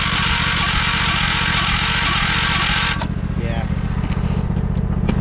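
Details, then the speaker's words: 1968 John Deere 140 garden tractor after mouse-nest removal and new parts, on full choke: steady starter churn about four turns a second, slowing without catching; cranks but won't start, owner suspects flooded carburetor. "All right. I don't want to burn out the starter. Damn. I bet you we flooded that carburetor."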